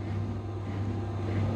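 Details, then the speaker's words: Electrolux washer-dryer in manufacturer test mode, drying step: dryer fan, a DC 300 V five-wire motor, runs with a steady low hum and even airy rush, no rubbing or ticking, normal. "chúng ta sẽ test được là cái động cơ thì cái con này nó sử dụng cái mô tơ quạt sấy Nó là một cái loại động cơ DC 300v 5 dây"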